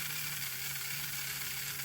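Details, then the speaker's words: Old 0-6-0 diesel shunter model locomotive on a power test after soldering the connections, picking up current from the wheels. A steady, light motor whirr with an even gear hiss and no stutter: normal running. "Picks up all right from those wheels. Picks up all right from those wheels. Perfect."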